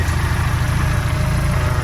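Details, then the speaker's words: Mini, MG Metro A-Plus 1275 engine (72bhp) with new Vmaxscart supercharger and lower-compression decompression plate: steady, deep, even throb at about 875–900 rpm with no misses or knocks; smooth, healthy idle. "usually comes a bit smoother with the supercharger because it's lower compression with the uh decompression plate here"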